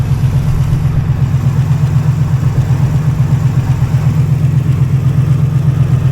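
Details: Auction rock-quarry truck with 297,000 miles, previously inoperable, first start after cranking; muffler has a hole. Steady, even low rumble with regular firing beat, no misses or knocks: engine idling normally.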